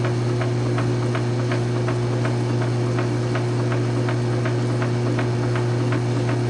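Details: South Bend 9-inch lathe converted from Model B change gears to Model A quick-change gearbox, slow test thread cut; steady motor hum with a light even tick about three times a second from the gearing, thread pitch correct: normal running.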